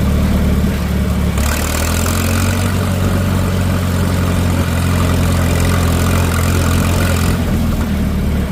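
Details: Minneapolis Moline M670 tractor, first run after an engine rebuild: deep, steady diesel idle with an even beat and no knocks or misses. Smooth, healthy normal idle.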